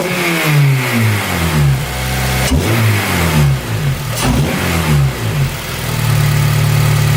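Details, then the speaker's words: 2008 Honda Civic Si, just after fitting an AEM short ram intake and reinstalling the MAF, warming up: smooth idle with quick free revs climbing and dropping cleanly, no misses or knocks; normal revving. "I might give it a couple of revs, see how different it sounds."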